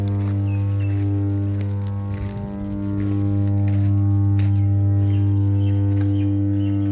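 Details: Power transformer: a loud, steady low hum that never wavers, with a deep buzzy edge; normal transformer hum under load.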